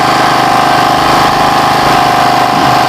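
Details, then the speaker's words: Generator that had not run for a year, started with choke after carburetor work and a fuel-flow check: steady, even idle around three beats per second with a clear tone and no rattling or sputter. Normal idle. "Oke teman-teman, di sini gensetnya sudah hidup normal tanpa ada suara redet-redet di gensetnya, dan stasionernya itu seperti biasa normal sekali"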